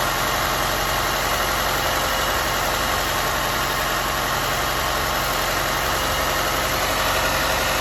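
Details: Audi A4 B8 1.8 TFSI petrol at idle, oil filler cap test: dense, uneven churning beat that never smooths out. A rough idle, cause not yet found.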